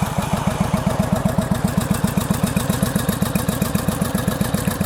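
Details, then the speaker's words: 1983 Honda VT750 bobber, just back from a two-hour ride: loping V-twin idle with a light regular tick about four a second; owner finds it still tappety, thinks these bikes just run that way. "still sounding tapi but I just feel like this is how these bikes run no matter how much you try to get those balls adjusted and"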